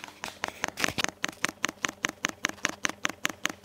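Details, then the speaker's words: Webasto heater DP30 fuel dosing pump run in component test at 5 Hz for 200 seconds (1000 strokes); crisp, even ticks about five per second in a quiet room, no misses; pump healthy, delivering about 62 ml (spec 60-65 ml). "pompka stuka paliwo powoli leci No i czekamy test dobiegł końca jak widać pompka raczej sprawna ponieważ wypluwa no około 62 ml"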